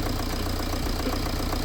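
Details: BMW E91 3 Series diesel idling steadily with an even low pulse and no belt-drive rattle, after the tensioner was cleaned with a wire brush and refitted to fix a tensioner rattle.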